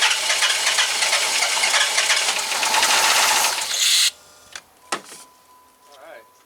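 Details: 2005 Dodge Magnum RT Hemi with two dead cylinders: steady fast cranking for several seconds that never catches, with the fuel tank wiring disintegrated and main fuel feed gone.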